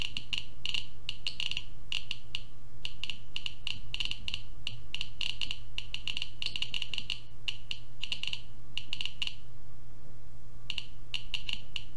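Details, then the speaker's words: Dense clustered bursts of sharp ticks over a low hum from a Geiger-Müller counter board with Arduino, radioactive source next to the tube for about 30 seconds; peaks around 600 CPM, almost 1 µSv/h, baseline about 40-50 CPM. "so you see that we had some huge Peaks here like 600 CPM and almost one microsieverts per hour and that is because of the source"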